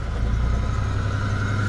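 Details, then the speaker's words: 1980s Pontiac Firebird, probably the regular 3.8 V6, long-sitting abandoned car at auction, first start with a made key: uneven, pulsing rough idle that "didn't sound great but sounding better"; oil pressure good, check engine light on. "all right didn't sound great but it's sounding better"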